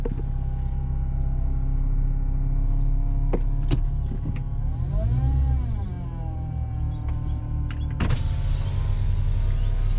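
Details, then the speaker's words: BMW E90 fitted with a big brake kit, after a hard stop from 60: a strong, steady, multi-tone whine whose pitch dips and recovers. Loss of power-steering pressure from braking G-force is suspected. "So they cause enough G-force to cause you to lose power steering fluid. Well, lose power steering pressure."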